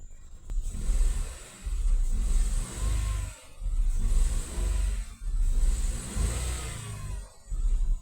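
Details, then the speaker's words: 2015 Nissan Note, recorded at the tailpipe after replacing the faulty ignition coil that caused a misfire, rough idle and check engine light. The engine settles to an even idle and revs cleanly in repeated blips with no miss; the vibration is gone. "I'm back at the tail pipe. That vibration is gone."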